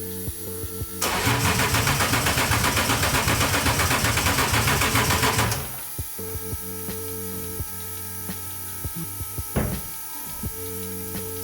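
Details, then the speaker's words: Volvo 240 with a BMW M52 swap, start attempt after rewiring and adding an extra ground, with power to the relays, coils and EWS: starter turns about four times a second for some four seconds without firing. Crank no-start; spark unconfirmed. "Okay, I'm really scratching my head. This just doesn't want to start."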